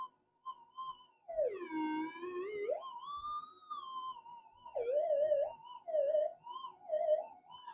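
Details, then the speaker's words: Modified Minelab GPZ-7000 metal detector tested indoors: the threshold tone won't settle, warbling and swooping in pitch as the coil moves, caused by 50 Hz interference from house power cables, not a target; mains electrical interference. "sometimes you can orientate the coils perpendicular to the noise source and the noise will go away but it's 50 hertz it's everywhere so it's just a power power uh power cables going through the house is causing all this um problem"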